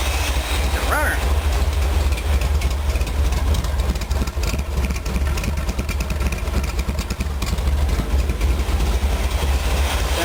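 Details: Chevy 454 big block rebuilt after piston-to-valve clearance failure, pistons valve-relief ground for a higher-lift cam, in a Willys: deep, even lumpy-cam V8 burble, no knocks or ticks; idle about 700 rpm, temperature about 60, oil about 40 psi.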